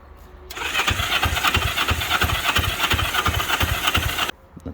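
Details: 1963 Honda CB77 305 Super Hawk, first start attempt, fuel on, choke guessed: starter churns the engine in even pulses about three a second for several seconds, then stops; never catches or fires.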